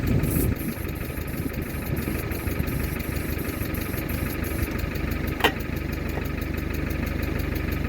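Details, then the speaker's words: Mercedes W123 300D, 3 L diesel parked 20 years, now running after closing the vacuum switch that had been shutting off the diesel pump. A steady diesel clatter at idle with an even beat and no misses. "there you go so uh the whatam call it the the uh switch the vacuum switch that kills the diesel pump I I closed that once and it just started and reved out like that"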